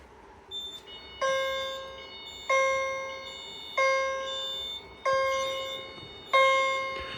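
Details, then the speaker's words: CH70 fire alarm chime, jumper set to vibrating continuous, sounding after a pull station is activated; bell-like strikes repeat about every 1.3 seconds, each ringing out and fading before the next; sounding properly. "forgot to mention this is set on continuous chime. There's two settings on the back by a jumper that can that uh determines if it's going to do single stroke or vibrating. And it's set on vibrating continuous."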